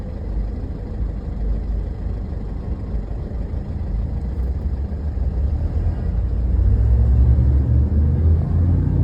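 Lumpy, uneven low rumble at idle that swells toward the end, with no steady rhythm; this engine is idling rough.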